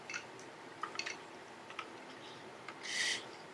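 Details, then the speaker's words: PSP-1000 (#4) after repair of switch board, analog stick and faceplate, playing tracks: faint scattered ticks and a short soft whirr, no grinding or click loops; perfectly normal UMD drive seek noise. "that's a perfectly normal seek noise sounds good"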